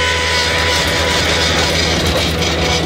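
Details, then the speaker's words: Bobcat T250 skid loader, a little over 3,500 hours, tracking forward: steady high whine near a kilohertz over the rumbling engine. It also has low power, does not track straight, and the drive handles feel unequal in power. "Just got this unit in, and it's making this noise when you track forward."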